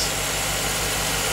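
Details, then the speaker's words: 2007 Chevy Tahoe 5.3L V8, first run after engine replacement, parking brake on; smooth, even idle with steady low pulses, no ticks, knocks or misses, no leaks or check engine light; normal idle. "I don't see any leaks. Look up front. But there sounds like a new engine."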